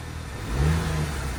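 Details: 2012 Audi Q5 2.0T with 103,000 miles burning oil (needing oil every ~100 miles), just started after B-12 Chemtool piston soak with old plugs refitted. Uneven, surging, stumbling idle, white smoke, flashing check-engine light; misfire blamed on stuck piston rings.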